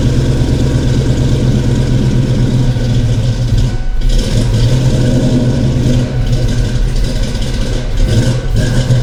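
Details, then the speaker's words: Ford Foxbody 5.0 Mustang with rebuilt Kenne Bell 2.1L supercharger, 42 lb injectors and bigger mass air, first start, throttle blipped: loud, uneven, lumpy V8 beat. Misfire, with cylinders 2 and 4 running cold from crossed spark plug wires. "So, upon further investigation, cylinder 4 and cylinder 2 are cold. 1 and 3 are hot, and 5 through 8 are warm. I don't know, maybe I'm just running on 6 cylinder"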